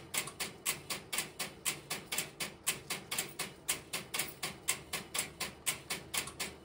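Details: Idle No. 3 crossbar telephone switching system, camera in its aisles with step-by-step interrupters in background: steady rapid sharp relay ticks with little underneath; normal idle.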